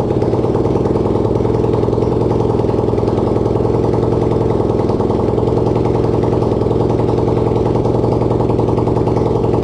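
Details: Racing lawn-tractor single-cylinder engine (250cc, though also called 150cc) on its first start, no exhaust and no throttle fitted: loud, raw open-port drumming at a steady fast idle; keeps running normally.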